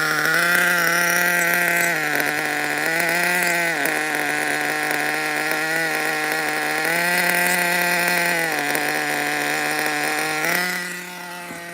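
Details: Nitro RC engine, not yet hot: high buzzy idle stepping up and dropping back every couple of seconds; hunting idle, owner suspects an air leak and says it needs tuning; compression good.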